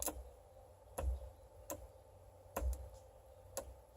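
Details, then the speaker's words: 1989 Porsche 944 Turbo (951) fuel pump bench-tested directly off a battery: sharp single clicks at irregular intervals with no pump whir between them as it tries to run; pump seized, needs replacing. "so I've got something going on funky there you can hear it kind of click on or try to click on when it seems like it's seized so we definitely need a new fuel pump"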